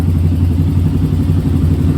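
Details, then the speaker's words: Yamaha Raptor 660 after carb clean, valve check and tune-up for bogging from second gear up: even, strong single-cylinder thump at steady idle with no hesitation, surging or clatter; no longer bogging, though starter, battery and solenoid still need replacing. "But other than that, the bike is not bogging no more."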